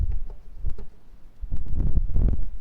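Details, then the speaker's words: Peugeot 206 HDi with a Helix organic clutch kit: the clutch disc, rocked by hand, gives a loose, irregular clacking. Its hub splines are over-machined, leaving excessive play, which causes the rattle heard when pressing the clutch. "But that is the rattle you can hear. So there's a lot of play. It's just machined too much effectively, so there's just too much material taken off this centerpiece here."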